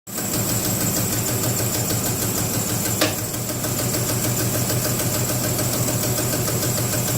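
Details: 2006 Jeep Grand Cherokee idling: steady, fairly fast engine knock of roughly three beats a second running through the idle, unidentified knock.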